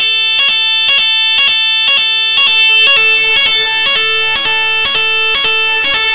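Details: AVSU PZ fire alarm sounder, opened up to show its five terminals, sounding on battery power: loud electronic tone pulsing about twice a second in a clean shrill pattern; the sounder works as it should.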